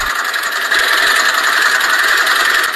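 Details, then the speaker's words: Car engine at idle, owner reports very loud engine; harsh continuous metallic rattle from front of engine; camshaft position solenoid checked OK; diagnosed as worn timing chain and VVT phaser rattle. "那么我们就把毛病直接锁定为这台车的正时链条与发动机的 VVT 可变正时轮传出来的哗啦哗啦的异响声。其实这种声音听起来很吓人，但是维修起来却很简单。"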